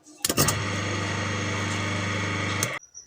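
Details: Half-horsepower donkey pump motor, run after bearing replacement with the cover bolts tightened firmly to prevent vibration. Steady even hum at constant pitch, no grinding or rumble, starting and stopping cleanly. Normal running.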